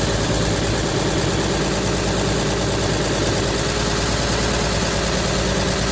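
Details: 1953 Chevy shop truck sitting 40 years, old gas tank removed, foot pedal start: steady even idle, constant low rumble, no misses or surging; normal idle, later reading 170 after running a while.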